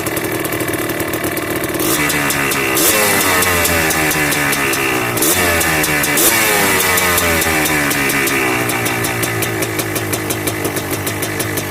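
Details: Yamaha Blaster 200cc two-stroke ATV with FMF pipe, after rich needle swap, clip adjusted and pilot screw richened: blips with crackling pops on decel, revs hang high before settling; owner unsure if lean pop, idle improving.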